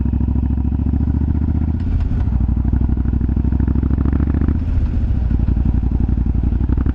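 Lumpy V-twin idle with irregular dull pops and thumps breaking through as the revs move; exhaust popping, cause not pinned down.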